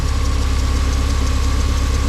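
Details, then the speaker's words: Civic race car at idle: a thin, steady mid-pitched whine over a lumpy, pulsing idle that doesn't follow the beat; spraying cleaner on the belt changed the sound, so the accessory drive belt is contaminated. "Maybe the belt's got some shit on it, or one of the pulleys got some shit on it or something."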